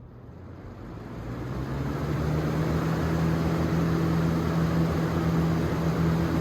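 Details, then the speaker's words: Lasko/Galaxy 3713 box fan after motor cleaning, oiling and bearing realignment, test run on high: airflow rises as it spins up, then smooth low hum and steady whoosh, no grinding or ticking. Normal fan operation. "This fan is very quiet on low, and it has really pretty good performance, in my opinion."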